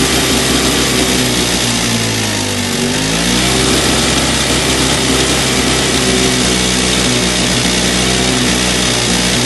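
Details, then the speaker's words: Two-stroke electric-start snowblower, choke on and primer pumped: runs ragged, bogs hard near three seconds, catches again, won't stay running; owner plans to remove carburetor. "ah I thought I had it it's like it almost wants to do it it's almost there"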